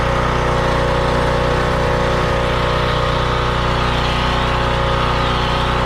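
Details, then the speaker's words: Craftsman pressure washer after no-run troubleshooting and an oil change, run without water or pressure. Steady, even small-engine drone at constant speed with no misses, surging or knocks; engine and pump running normally. "I think we're good yeah I just wanted to make sure the pump did work"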